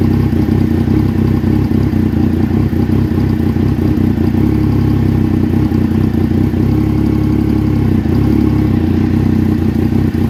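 Uneven, lumpy idle with a wavering low beat that never settles into a smooth rhythm; engine running rough, cause unknown.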